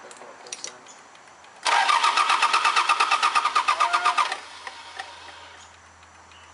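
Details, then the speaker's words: Mazda B3000 diesel turbo build, cracked open to bleed air: starter chugs about three turns a second for nearly three seconds without catching. Crank no start; they suspect it was sucking air through the fuel lines. "well did you hear how it went blue yeah stopped so maybe they were sucking just air in the whole time too"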